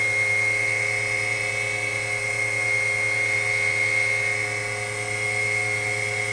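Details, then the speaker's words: Steady high whine with an even hum from the dynamotor powering a WWII-era RT-7/APN-1 radar altimeter just after switch-on, current jumping then settling; smooth, normal dynamotor whine. "You'll hear a whine from the dynamotor. There went the current."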